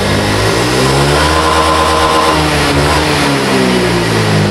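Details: Honda Vario FI scooter with heavy pull and power loss at high rpm, caused by a faulty TP sensor: test revs rise and fall smoothly with no stumble or flat spot; normal revving after repair.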